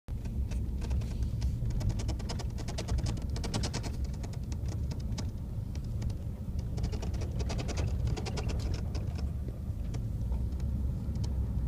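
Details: Brand-new 2014 Ford F150 FX2 SuperCrew 3.5 EcoBoost, heard from the back seat while driving: light, irregular clicking rattle around the window over steady low road rumble.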